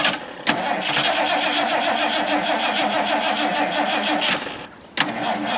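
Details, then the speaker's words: Slow, labouring crank that stalls and restarts without catching, likely a dead battery, on a 1977 Mercury Grand Marquis parked 10+ years; rear end raised off the ground, would not idle, jump pack needed. "all right oh come on dead battery I'll take it we need to put a jump pack on the battery"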